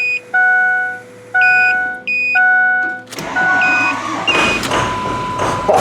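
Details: Ford F-350 6.0 Power Stroke diesel after an engine fire: three dash chimes, then cranking after the glow plug cycle, catching unevenly and stumbling, blowing lots of smoke; rough diesel start after glow plug cycle.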